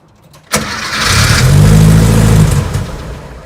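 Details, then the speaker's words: VW Beetle under restoration with a mechanical fuel pump, fuel tank and lines dry, cranked on sprayed starter fluid: the engine catches with a rough uneven burst for about two seconds, blows smoke, then dies; it runs only on starter fluid because no fuel is delivered. "Woo! All right, well, it at least cranked over for a second and blew all that smoke out."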